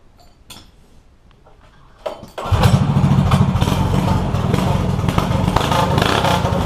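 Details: Yerf Dog go-kart with a 212 Predator non-Hemi engine, billet flywheel, 80-pound springs and Mikuni carburetor: quiet handling, then the single-cylinder catches and settles into a steady, even, crisp run; sounds healthy.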